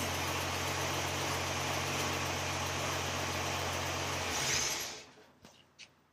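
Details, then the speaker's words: Toyota FJ40 with Holley Sniper fuel injection and CD ignition box, timing map not yet set, started from the key: steady, even low idle hum about four seconds before shutdown; fires and runs smoothly. "she fire that up fires up real quick which is really nice because it doesn't even have the timing map really set yet"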